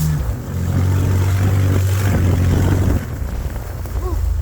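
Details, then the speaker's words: Budget-build 4x4 driven under load over rough field ruts: a deep, uneven rumble and puffing. Exhaust leak; the owner guesses the catalytic converters were bad and a hole was cut to relieve them so it would run. "I'm guessing the cats were bad and they cut a hole to relieve it so it run. Uh that's not a big deal."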